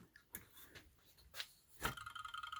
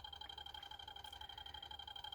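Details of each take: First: 3D-printed barrel-magnet rotor on a double JL 94 circuit coil setup, power switched off: rapid even ticking with a faint whir slowly fading as the rotor coasts down. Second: 3D-printed barrel-magnet rotor on a double JL 94 circuit with a different coil swapped in: steady rapid pulsing with two clear high tones, even rhythm and constant level; running smoothly with lots of output.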